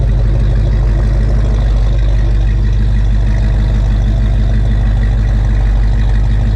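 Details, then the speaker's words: 1956 Ford F100 idling after a Holley 4160 4-barrel carb rebuild (list 80457): a steady, even low rumble with no stumble or miss. It sounds pretty good, does not smell rich, and setup is close. "Sounds pretty good."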